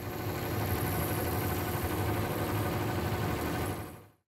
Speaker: The draft inducer fan pulls air into the heat exchanger before ignition. Overtime the bearings in the motor can wear out. These are smaller motors and will sound a